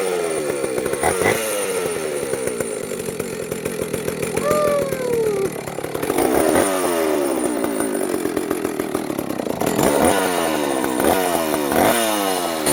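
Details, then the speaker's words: A vintage Jonsereds 70E two-stroke chainsaw, run with its top cover off after cleaning and fitting a cooling fan. It fires and revs crisply, with a steady buzzing idle between blips. It smokes from oil put down the cylinder earlier. Runs normally. "the nuts came off look at that she's a runner she's smoking because I put some oil down the cylinder when I first got it"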